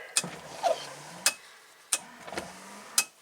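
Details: 1967 Triumph GT6, key on during electrical diagnosis: wiper sweeps back and forth with a sharp click at each end roughly every second and a faint motor hum between; wipers working normally.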